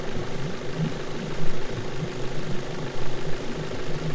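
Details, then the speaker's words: Suzuki DF70A four-stroke outboard idling after an inexpensive misfire repair; steady low rumble firing evenly on all cylinders, no more misfire. "Sounds pretty good. No more misfire, idling smooth."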